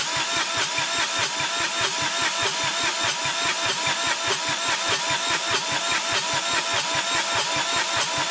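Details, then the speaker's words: Kubota D1105 three-cylinder diesel being converted into a 1994 Geo Metro, cranked with glow plugs and no coolant; even cranking at about three and a half compression strokes a second that never fires, suspected blown head gasket or cracked liner, smoke puffing from the thermostat housing. "but it's looking like it's not going to start until i replace the head gasket i'll crank it over here and show you put this on the glow plugs"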